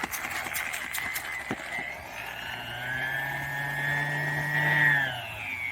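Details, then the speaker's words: Bauer orbital sander, used to prep Suzuki Samurai floors, running at its highest speed with a bad burning smell: a rough, wavering whine drifting up and down as it dies. Worn-out motor brushes. "see oh I could smell it bad I don't know if you can hear that and that's like on the highest speed that it has too"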